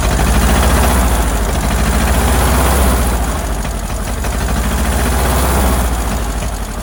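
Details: Ford Model AA doodlebug (cut-down farm truck), old four-cylinder, running: low, lumpy putter about three beats a second, stumbling rhythm. Shorting plugs with a screwdriver shows cylinders 3 and 4 at the back not firing well; owner earlier suspected a stuck-open valve.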